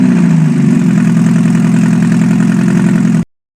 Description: 1991 Mazda Miata MX5 first start after full rebuild.